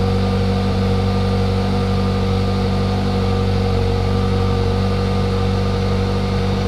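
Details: Hyundai Elantra GT / i30 N-Line 1.6T, first cold start after fitting XForce Varex valved catback exhaust, valve open, later shut for a big volume drop. Deep, steady exhaust drone with an even, unbroken idle, no knocks or rattles: normal cold start idle.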